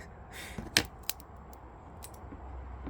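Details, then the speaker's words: 1998 Yamaha Grizzly 600 4x4, first start attempt after purchase: a few sharp, isolated pops over near silence with no cranking rhythm; starter pops but does not crank the engine. "oh boy something something is not happy no no no that starter is not having it"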